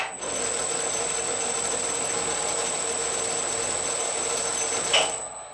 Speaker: so with the tumbler in this position which is where I would typically have it for power cross feed moving toward the center of the work it's pretty quiet it meshes nice